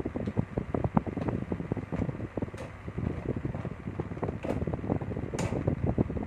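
Low steady fan hum with light even ticking and no grinding or scraping; the fan spins freely and sounds healthy.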